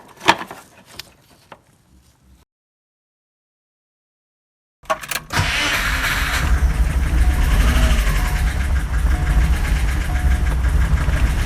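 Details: Subaru Impreza GC8 with swapped EJ205: crank and catch into a lumpy, uneven idle with an irregular low thump; the idle alternated between about 1000 and 1500 rpm, and a compression test flagged cylinder 3 (rear driver's side).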